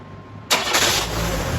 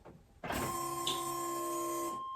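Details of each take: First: 1997 Chevrolet S10 2.2L four-cylinder after new downpipe with flex section and gaskets replaced a leaking exhaust; starts and settles to steady, even idle with no ticking or puffing, quieter: normal running exhaust, leak fixed. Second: Chevy S10 before replacing the exhaust downpipe flex section: chimes, cranking and catch, then a loud raspy cold idle with rapid puffing tick from an exhaust leak at the patched flex pipe.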